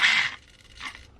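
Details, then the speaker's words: Vanquish H10 Optic RC crawler with Knight Customs working interior: the Hi-Tech HS55 servo gives two short, high-pitched, harsh buzzing whirs, much louder than the quieter Tower Pro SG90 servos. The owner will probably switch the HS55 out. "But yeah, you can see how much quieter the SG90 servos are versus the HS55 from Hi-Tech. See that noise? That's from the Hi-Tech servo."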